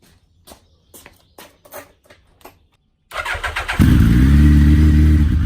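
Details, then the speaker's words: Suzuki Hayabusa turning its rear wheel in gear while the chain was lubed, giving steady metallic ticking and a heavy knock before stalling; the cause was a loosened clutch pressure-plate bolt. Loose clutch pressure plate bolt. "il ya eu un bruit hyper flou c'est qu'il ya un espèce de gros cognement comme des métaux qui a explosé à l'intérieur de la boîte"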